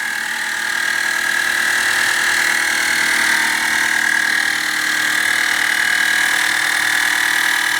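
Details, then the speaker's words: 1929 Chrysler self-leveling air bag compressor filling the bags from dead empty, which takes a while. A steady, loud high-pitched drone holds even throughout, and the car rises about 1.5 to 2 inches. Normal running, though the noise needs addressing. "from dead empty to full it takes a while"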